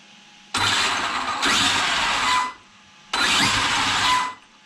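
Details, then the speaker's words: Traxxas XRT with a new replacement ESC after the previous one burned. Two short bursts of smooth, airy motor spin-up and run-down with no grinding or stutter; the motor turns forward correctly before programming. "See what direction it's turning. So it is turning forward, which is good."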